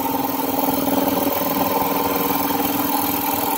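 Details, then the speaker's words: 60-gallon air compressor with 3-cylinder 1250 rpm pump, newly installed 5HP 3450 rpm 220V motor replacing one with suspected bearing noise, pumping up pressure: steady drone, even pulse about two per second, no grinding or squeal; normal running. "motor is a lot quieter than the other one and that pump is a lot quieter than i thought because i thought all that noise coming from the pump"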